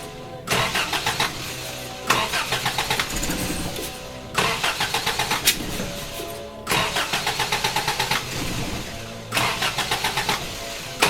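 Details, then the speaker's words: Toyota Hilux with electronic ignition instead of points, ignition module shorted, restarted after being shut off: repeated fast, even cranking with no firing; owner suspects the switched 12V feed to the ignition coil is lost while cranking. "because you can hear it like there is no starting like while I'm cranking the motor there is no starting that motor whatsoever"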